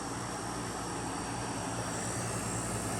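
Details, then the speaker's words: 1971 GM Montgomery Ward Signature 6,000 BTU window air conditioner, about 50 years old, building head pressure and blowing ice cold: low, even hum with smooth fan rush, no rattle or clatter; compressor and fan run quietly and healthy. "It's insanely quiet too. Rotaries, they rattle and make a lot of noise. This thing purrs and you barely hear it, but what you do hear, it sounds really nice."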